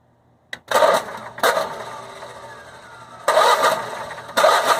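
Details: Generac Guardian Quiet 05244 generator that sat unused about a year, with new battery, fresh 5W-30 oil and filter: short cranking bursts catch briefly then die, repeated twice; it won't keep running. A faulty spark plug was the cause, and a new plug fixed it.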